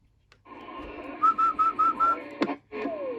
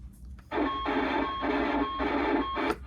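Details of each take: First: Early-1990s Astatic D-104 lollipop CB microphone on a Cobra 29, after its oxidized PTT leaf-switch contacts were cleaned: clear whistled notes come through crisp and steady, with no crackle, static or dropouts. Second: Early-1990s Astatic D-104 "lollipop" CB microphone: harsh, crunchy hiss cutting in and out on transmit audio, caused by oxidized, dirty leaf-switch push-to-talk contacts from sitting unused.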